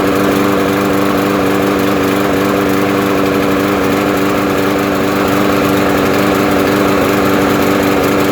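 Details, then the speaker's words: Small single-cylinder lawn mower engine surging (hunting), throttle moving up and down with uneven wavering beat; fuel starvation caused by wrong carburetor bowl nut, though carb was clean. "that's why it's trying to rev up to get more fuel and then it comes back down"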